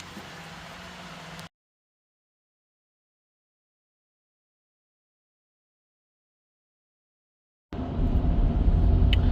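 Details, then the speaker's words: 2015 Porsche Cayenne 958 diesel, 158,000 miles, road test after new front differential fixed groaning on/off throttle: steady low road hum and all-terrain tyre drone, no whine or clunk; smooth, normal driving. "You can hear that it's buttery smooth now. Just keep in mind this car does have all-terrain tires, so it makes a little bit of humming noises."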